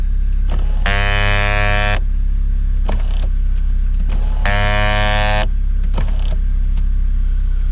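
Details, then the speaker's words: 2005 Mini Cooper R52 convertible top, sunroof-section roof motor: two harsh, buzzy one-second motor bursts with clicks between, strained grinding as the top opens and fails to retract fully; owner suspects a worn gear, unconfirmed. "Now, when I go to open the top, it's like this part of the motor is I don't know if the gear is worn out, but that's what it sounds like to me."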